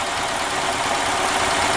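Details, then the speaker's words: EZGO Workhorse golf cart, Robin ST350 engine idling in neutral after carburetor clean and starter change, breather off, forward/reverse interlock unhooked: steady, even buzzing idle with no misses or knocks; runs normally. "well anyway I'm showing you guys it's running um I started it up in neutral"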